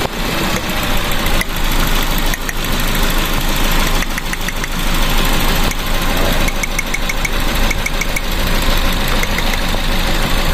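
Uneven, stumbling idle with irregular chuffs in the beat; crossed plug leads on number one are making it misfire.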